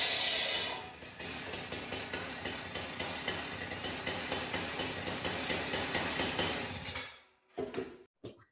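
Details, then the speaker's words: Husqvarna cut-off saw, two-stroke, cold, after replacing a missing spring that let the blade spin at idle: light even popping idle about four beats per second, no blade whir, then shutoff; idles healthy, passes stone test. "dave we just saw you starting it up doing the rock test and that's good just like we kind of thought it was yesterday or you did the video before"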